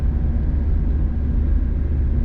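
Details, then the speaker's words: 100% stock NB2 (second-gen) Mazda Miata with stock exhaust, driving: steady deep drone under load, smooth with no knocks or rattles, engine a bit buzzy at higher RPM; normal running. "This is pretty stock. This engine here is a little bit buzzy though, especially in the higher RPM."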